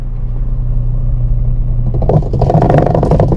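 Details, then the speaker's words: Washing machine motor tested by holding the drum: steady low hum, then rough scraping as the drum is held back; motor keeps pulling hard, healthy. Fault was a loose, slipped-off belt, not the motor; gear somewhat worn. "guys malakas pa okay pa yung ano nito yung motor nito natanggal lang yung belt niya tapos sabi nila sira daw"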